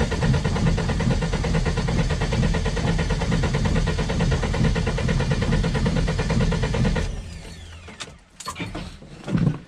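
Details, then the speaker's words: Lada Niva after a fuel pump replacement: the starter churns steadily for about seven seconds but the engine never fires, as the newly fitted pump does not work; a spare pump is then tried. "vaikuttaa siltä, että toi ei toimi. No perkele."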